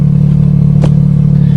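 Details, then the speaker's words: Repaired Nissan 200SX on a test drive after reconnecting the oxygen sensor left unplugged when the manifold was flipped: strong, even engine drone revving to redline cleanly with no misfire or knock, revving quicker with more power. "now she's perfect little red line for a good time she revs quicker got more stronger power at least it sounds like it"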